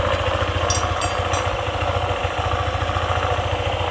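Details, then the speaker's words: Honda ADV 150 scooter, idling after a CVT part was re-lubricated as a temporary fix: even, quick putter with steady low beat, earlier clicking from the CVT gone; it may return once the lubricant wears off, and replacing the part is advised. "Oke, suaranya sekarang lebih baik daripada sebelumnya yang mengeluarkan suara berklik."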